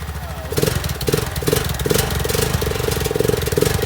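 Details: 2003 Honda Rincon 650 4x4, sat over 6 years, after carburetor cleaning and oil change, jumper-started with choke on: single cylinder picks up and chugs at steady, slightly uneven idle; runs normally.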